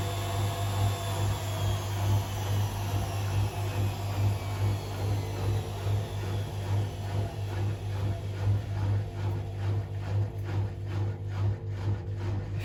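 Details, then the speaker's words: Hotpoint Aquarius WMA37 washing machine, fault unknown, on a test spin. Steady motor hum with a light regular rattle about twice a second as the drum turns. Something loose is rattling in the drum; owner suspects plaster, as glass and straw bits were found inside. "could hear they're actually a bit of um something coming on struck with the drum but I actually think that's plaster"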